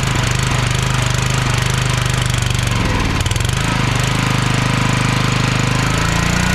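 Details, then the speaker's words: Log splitter small engine unstarted for about 2 years, at high idle on choke: hammering, dipping in speed then picking back up, governor jumping back and forth; surging, owner suspects carburetor needs cleaning. "I don't know if you could hear me while it was running there the governor it's jumping back and forth It's not acting right"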